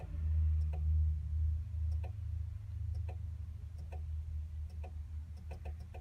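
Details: 2000 Chevrolet Blazer: no crank with faint, uneven clicks about twice a second over a low hum and erratic dash lights; caused by a rusted battery ground connection, fixed by cleaning it.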